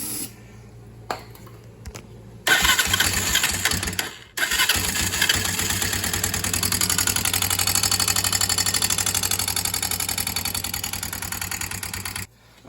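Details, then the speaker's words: Barn-find ATV fires after a few tries and idles with fast, light top-end ticking; owner suspected loose cam chain or valves, found valves extremely loose and adjusted them, after which only a slight near-normal noise remained. "I don't know something really don't sound right in the top end the cam Chain's loose or something it does run it doesn't sound good"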